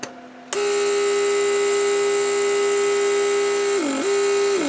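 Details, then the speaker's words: 1995 Mercedes S-class central locking (PSE) pump under the rear seat, after repair and readjusting its pressure circuit; steady constant electric hum dipping briefly as vacuum builds, then shutting off; normal pump operation. "what I can do is I can just unplug it you hear the pump operation creating vacuum"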